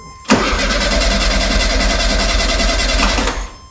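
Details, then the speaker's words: 1972 VW Super Beetle stored about 20 years, fuel line detached: starter cranks at about three beats a second for three seconds without firing; pump moving brown old fluid, no fresh fuel reaching engine yet. "okay it's pumping but it's uh brown stuff it's not fuel yet"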